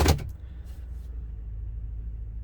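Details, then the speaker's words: Ford Super Duty service truck (2000s) with low power and rough running: lumpy idle with an uneven low thump, a consistent misfire, likely cylinder 4. The untreated misfire had plugged the catalytic converter; no plug was blown out. "let's let's see here we fire it up what's happening no no spark plug blown out but there's a misfire"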